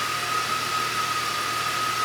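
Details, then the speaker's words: 2006 BMW X5 6-speed manual, 270k miles, with a stuck idle air control valve; after a rough start it settles into an even, steady idle with a faint whine. Owner suspects a bad mass airflow sensor. Normal idle. "It's idling. It seems to be idling okay."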